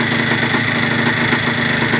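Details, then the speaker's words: 1980/1981 Yamaha IT175 vintage two-stroke enduro single: crisp, even ring-ding beat with no misses or rattles; running clean and healthy, though a petcock O-ring fuel leak was found. "love the sound of a good-sized one-liner two-stroke"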